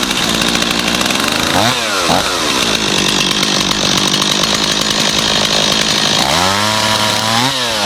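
Two-stroke fires and revs up crisply, drops back to a steady idle, then blips again cleanly; saw running healthy.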